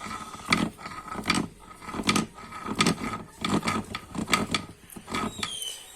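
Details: Italika DM200 motorcycle crankshaft turned by hand with the engine open: stiff, uneven rasping scrapes from a worn crankshaft bearing; damaged crankshaft, bearings and crankcase.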